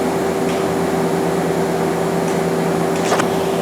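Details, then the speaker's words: 2001 Okuma LB200MW turning and milling center, main spindle at 1,000 RPM with door shut: steady clean hums at constant pitch, no knocks or grinding; spindle runs normally. "here's 1,000 RPM on the main spindle sorry I have to run this with the door shut"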